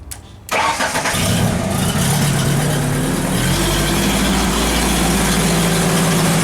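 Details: Genie lift with a crank-no-start fault, missing a power feed, running with fuel pressure about 10 psi: brief crank, then the engine catches and settles into a steady, even idle with no stumbling; starts and runs.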